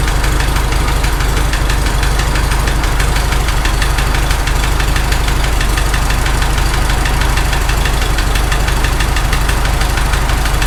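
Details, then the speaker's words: Farmall H tractor engine at idle, loose rocker wedged with screwdriver to take out end play: steady sharp knock about three a second, loudest near rocker, comes and goes after restart; owner thinks valve-train knock on cylinder 3, fix didn't work. "It actually sounds the loudest right there. Shut it off, then restart, it went away. Now it's coming back a little bit. It's kind of coming and going."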